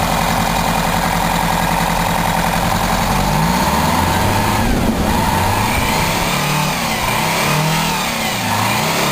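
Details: 1987 Bluebird Wanderlodge PT40 rear-engine pusher RV with 8V92TA Detroit two-stroke diesel, first start in about 5 months (slow to start, prime lost, minor battery issue), camera held outside: a loud raspy snarl blipped up and down, pulling clean and even; runs normally.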